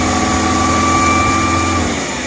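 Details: 1986 Chevy S10 Blazer 2.5L with a runaway idle: a fast, steady racing idle with a constant high drone and no drop-off, during checks of vacuum lines, MAP sensor, EGR and PCV; TPS and IAC suspected next.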